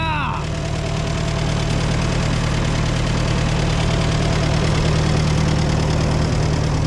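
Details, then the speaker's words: Old Co-op E3 tractor (about 1947) with a four-cylinder LP engine, started on a fresh battery after years of sitting. It catches right away and idles smoothly and evenly, with no misses or knocks: normal start and idle. "sounds good runs good pumpkin hydraulics thanks"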